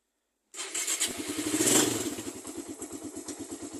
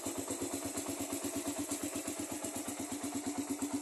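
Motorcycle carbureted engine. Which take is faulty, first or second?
second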